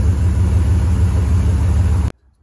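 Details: 1973 Ford F-250 4x4 crew cab V8 with a four-barrel carburetor, which had been erratic and loading up, after the carb was removed, cleaned and refitted: a strong, deep, steady roar without stumbling. Smooth running.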